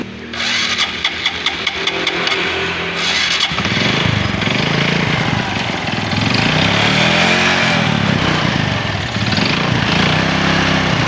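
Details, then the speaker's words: Honda Supra 125 before repair: cranks and fires, then runs rough with a hard rhythmic knock sharpening as throttle opens; mechanic confirms connecting rod noise, not piston or clutch; connecting rod big-end knock. "Ini suara setang seher Oke teman-teman mungkin ada beberapa pandangan yang bilang ini adalah seher ini adalah kopling dan lain sebagainya saya pastikan ini adalah suara setang"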